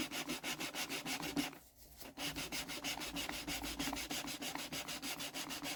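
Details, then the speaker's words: Deutz engine cylinder head, removed over no compression; lapping a valve with fine paste after coarse; quick gritty strokes, about three a second; paste has almost stopped biting, so the seat is nearly lapped and later shows a continuous line. "I can hear that that's not really biting much anymore. So I think this might be alright."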